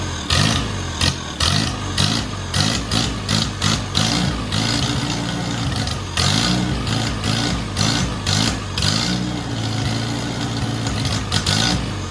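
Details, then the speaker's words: 1949 Farmall Cub tractor, long-sitting and revived with a rebuilt starter and oil-fogged cylinders, first start on starting fluid: small engine fires and runs at a lumpy, uneven fast idle, steady and catching well, running fine. "hey how about that I mean she runs good I mean fired off beautifully"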